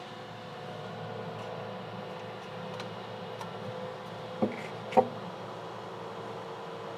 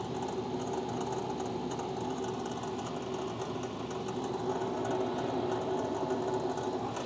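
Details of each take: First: Red Bull mini fridge after replacing its inside (8038) and outside (1238) fans: soft, even fan hum with no rattle or buzz, only handling clicks; new fans draw air and run much quieter, normal operation. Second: Red Bull mini fridge with the microphone placed inside: the interior fan (8038) gives a fast, uneven buzzing rattle over a low hum. The outside fan was already replaced; the interior fan is believed destroyed and needs replacing.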